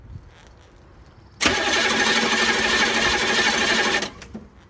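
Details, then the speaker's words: 6.2L diesel after new fuel filters, flushed and purged fuel lines, glow plugs refitted, new battery cables and redone starter wiring: cranks briefly, catches and settles into a steady, even clatter with no misses; healthy start. "nice it's running buddy give me a thumbs up"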